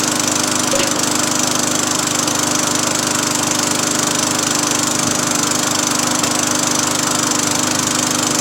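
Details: Free Craftsman 20-inch 4hp push mower running after cable replacement and new carburetor install, started after 5 primes: steady, even drone at constant speed with no stumbling or surging, engine now running properly.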